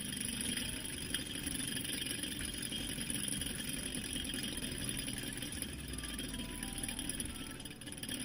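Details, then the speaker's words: 2004 Kia Sedona idler/tensioner pulley, removed and spun by hand: a dry, gritty whir that spins far too long. Worn bearing, probably no grease left inside. "So right off the bat, the pulley doesn't sound good, and it's spinning for way too long. There's probably no grease inside of this"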